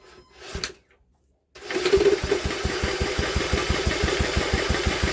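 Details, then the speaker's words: Old Villiers engine, cranked by drill on flywheel: even cranking beats about three a second, no firing at all. "we're not even getting a spark are we we're not even getting a fart I thought she might have at least farted on us but so far no far at all"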